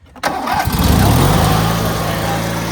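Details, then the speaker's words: 2003 Craftsman (AYP) DYT4000 hydro riding tractor start: quick crank, fires at once and settles to a steady, even idle as the tone smooths out; starts right up and runs strong, though the owner thinks it may now need choke. "Let's start it now. Runs good though. Starts right up. I might need choke now."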